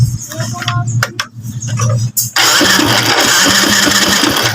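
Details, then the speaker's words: Honda Wave 100 knocking after a top overhaul, idling after the loose timing chain got a stiffer spring: engine settles into a quick idle with a steady light clatter still there; engine knock from a loose magneto flywheel nut. "So kanina maluwag yung timing chain so rin dundo natin kumakalampag pa rin"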